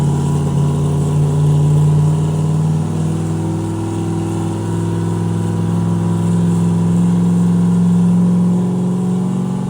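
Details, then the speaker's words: Turbo 427 Corvette running moonshine on the dyno at about 6–7 psi with no boost controller: the full-throttle pull drones roughly and flattens out, bogging. Suspected fuel starvation from the single, unhappy-sounding pump; it fireballed at the end. "It was dogging. Like out here, I just had to lift because it sounded so bad."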